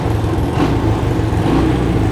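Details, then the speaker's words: 1985 Honda ATC200M three-wheeler, cold start after sitting for years, carburetor rebuilt, new battery and oil: engine picks up cleanly on throttle blips and settles back without stumbling; healthy throttle response. "I guess it runs. Responds to the throttle real good."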